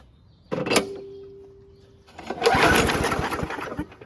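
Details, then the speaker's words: WeedEater 21-inch push mower, Briggs & Stratton 500 Series 158cc engine, after carburetor cleaning and purge-bulb priming: catches on first pull and runs steady and even, no longer surging. "Awesome, so that sounds like it runs a lot better. It's not really doing that surging thing anymore, and it does restart on first pull."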